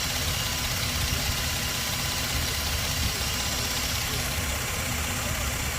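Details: Toyota Land Cruiser after a crank-no-start fault involving fuel pump testing: engine settles into a steady, even idle with a smooth low rumble and no knocks or misses; running normally.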